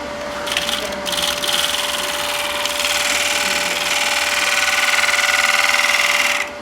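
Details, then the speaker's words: Wood lathe, deepening and cleaning out a bowl with a bowl gouge; rapid dry scraping rasp about four times a second with a rhythmic bumping as the gouge rides the cut, i.e. tool chatter. "So you can hear that bumping. It's, again, the batting is still superior in that position right there."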